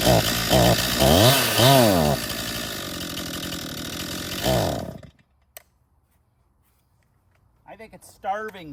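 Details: 2018 Stihl MS261 M-Tronic chainsaw, hot, started with throttle held open (no hot-start position): revs up and sags unevenly, surges, then dies; bogging when hot, hard to start; spark later confirmed strong, cause not yet found.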